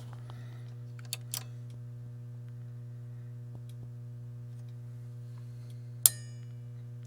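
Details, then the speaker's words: Marantz 2285B receiver after capacitor board replacement, powered through a dim-bulb current limiter with the mic near the board: steady mains hum, then one crisp click about six seconds in as the protect relay engages normally. "it went do you hear it it came in okay and you can see how incredibly dim that bulb is there so it's very very low current so i believe that everything is working properly"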